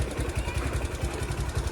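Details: Platina motorcycle engine after repair: steady, even, quick thumping at idle with no knocks or rattles and no smoke. It is running cleanly.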